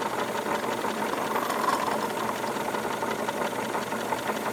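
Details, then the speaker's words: Wilesco D22 double-acting model steam engine at about 14 PSI boiler pressure with a good water level: a steady hissing chuff at roughly three beats a second, even and unforced, no knocking; running fine. "very very nice operation a couple more features of the engine that I should bring to your attention"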